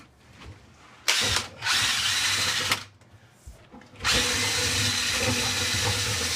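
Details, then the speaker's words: Dryer vent cleaned about a year ago, in a home with a big dog's hair: a drill-driven brush whines and rattles brightly on bare metal rather than sounding muffled, showing the duct is fairly clean. "Yeah, it's pretty clean. You can hear it rattle around in there on the metal. If it was dirty, it wouldn't have a muffled sound."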